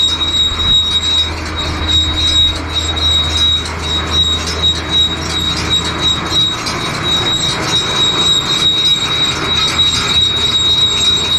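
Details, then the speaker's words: John Deere baler running on a tractor: steady, piercing high squeal over a clattering mechanical run, from a chain on the other side; owner suspects dry chain and oils it. "there's another chain on the other side hear that problem again i hear it all right i just put oil down in"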